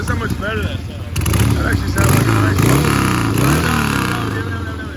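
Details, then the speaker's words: 1979 Harley-Davidson Ironhead XLS1000 Roadster chopper V-twin running after valve adjustment, rebuilt original Keihin carb, new plugs and fresh oil: catches and revs up and down with an even loping beat, no misses, sounds way better; runs normally, a few carb adjustments left. "better man that sounds awesome that sounds way way better a few more little carb adjustments than that they might be rolling man that sounds awesome"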